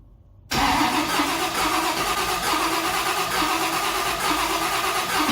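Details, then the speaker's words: 1955 Chevy project car engine, start attempt on ECU: steady starter churn with slow even compression pulses, no catch; not reaching ECU crank-to-run threshold of 300 rpm, later lowered to 150 rpm; slow cranking, no start. "No, we're not getting enough RPM. So let me see what we can do here."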